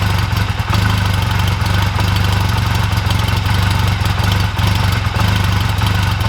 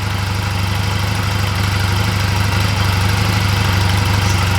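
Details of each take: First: 2004 Honda Rebel CMX250C twin at idle just after fitting new NGK CR6HSA spark plugs gapped 0.024-0.028 in: lumpy, uneven beat instead of steady putter; new plugs cause rough idle, ran evenly again with old plugs. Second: 2004 Honda Rebel CMX250C twin after refitting the old spark plugs in place of new plugs: steady, even low putter at idle with regular beat and no misses; running fine.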